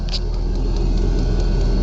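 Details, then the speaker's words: New 5 kW 12V diesel air heater in truck bed just after first lighting, run on high to burn everything out: even low roar with light quick pump ticks about five per second. Normal running on high. "all right so I'm going to run that on high just to burn everything out and"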